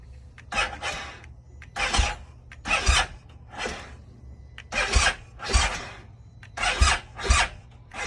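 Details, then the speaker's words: 2020 BMW R1250 GS Adventure after sitting 2 days at about 30 degrees with the battery tender not connected: labored, slow chugging bursts under one per second with no firing; owner says it is not the battery; hard start, cause unresolved. "It's about 30 degrees right now. It's not even turning."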